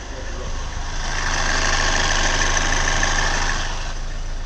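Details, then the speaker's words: Hyundai Verna diesel idling: faint thin squeal for a few seconds then easing, coming suddenly and intermittently after start, triggered by steering turned to full lock; noise traced to worn belt tensioner. "जब गाड़ी start होती है तो अचानक की आवाज आता है मतलब कंटिन्यूसली तो नहीं आता बट अचानक आता है"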